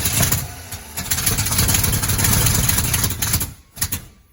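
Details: 1980 Chevy K30 small-block 350, restored truck's first start attempt in years; uneven labored cranking bursts that never catch and die away; engine won't fire with distributor clocked too far advanced.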